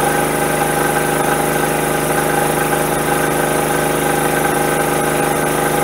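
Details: Generator just converted to a tri-fuel carburetor runs on propane with a steady, even drone and no surging or misses, but gas is still heard flowing; propane doesn't shut off as the diaphragm should hold it.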